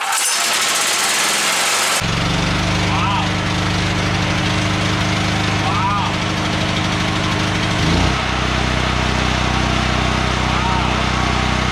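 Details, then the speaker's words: ETQ TG72K12 portable generator, about 14-15 years old, 13 hours, unrun 10+ years, started on choke: catches at two seconds, settles into smooth even hum with one speed change as auto throttle adjusts; normal running. "it starts right up like switch side outer hour meter seems to be working"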